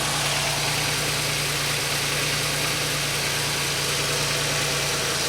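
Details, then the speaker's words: 2003 Pontiac Grand Am GT coupe, cranking voltage 11.16 V: steady, even idle with a smooth low hum and no knocks, misses or squeals; the starter sounds normal and the engine runs normally. "sounded normal to me it cranked at 11 16 so that's good"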